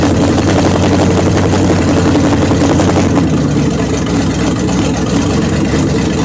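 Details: 1929 Chrysler with a 360 V8 and 707 transmission, first run after correcting an electric choke set too far closed and setting idle: loud, steady burble with an even beat and no misses, settling into a smooth idle. Normal running.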